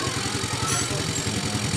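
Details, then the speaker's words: Yamaha FreeGo scooter with an ECU fuel-pump ground fault bypassed by an external ground wire and relay, restarted: steady even low putter with regular firing pulses, no misses or rattles; normal idle. "coba starter lagi jadi motornya udah hidup ya"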